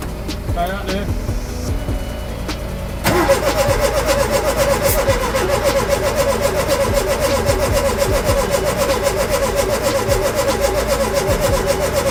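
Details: Ford Capri with a reconditioned Pinto engine plus new distributor drive, cap, points, leads, plugs and carburettor: steady rhythmic cranking, spark present, but it never catches. Ignition timing is off, so no start.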